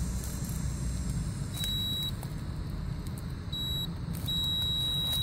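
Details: Goodman package HVAC unit installed 2009, compressor leads disconnected from contactor and capacitor: megohmmeter/multimeter continuity tone sounds in three bursts over a low hum, showing the compressor winding shorted to ground; compressor to be replaced.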